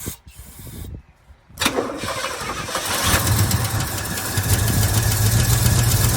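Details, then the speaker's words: 1966 Chevy C10 small block, barn find, not known to have run in a long time, fuel line disconnected from the tank to avoid old varnished fuel: cranking bursts, then it catches and settles into a steady, rumbling healthy idle. "All right, she's a runner. And that's just the way these small block Chevys are, guys. Man, if it turns over, it's going to run."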